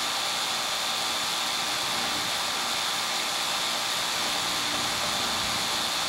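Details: AC condenser, capillary tube mismatched system with restricted return air, previously tripping its breaker; adjusted to about 25, suction line 54 (was 32): steady airy fan rush with even compressor hum, no knocking; normal running.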